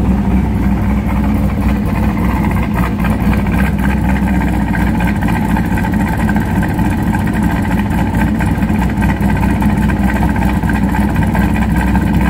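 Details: C5 Corvette cammed V8 with H-pipe midpipe, before swap to Bassani X-pipe: lumpy idle with uneven, fluttery low exhaust burble the owner wants gone.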